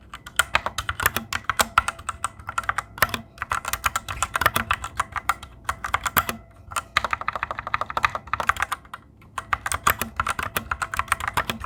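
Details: Fantech Maxfit61 60% keyboard: rapid irregular typing clacks, each carrying a faint metallic ring; springs pinging in the switches, louder than on the owner's Cherry Red switches.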